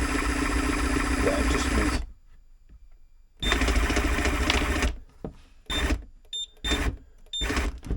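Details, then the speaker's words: Simrad TP10 tillerpilot on 12 V battery, drive moved to middle of cog: short bursts of electric motor whirring with a low gritty rumble from the drive; cause unknown, to be monitored, oil on rubber part considered. "so hopefully that's the tp10 fix and we'll just have to keep our eye on that little Rumble um it seemed all fine though inside"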